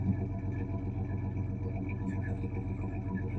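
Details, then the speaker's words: 1986 Chevy S-10 with 2.8 liter engine, first run after long storage, loud muffler: low rumbling idle with uneven stumbling exhaust beat; misfire, cause not yet found. "so if you ever wondered what a smooth misfiring 2.8 liter sounds like"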